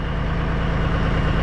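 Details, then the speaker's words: Cabover diesel "Kenny" after setting the injectors and valves, warmed up with the smoke cleared, before a drive: a steady, even low rumble at idle with no knocks or misses; a normal, healthy idle. "Sounds good too. It might be time to take her for a rip."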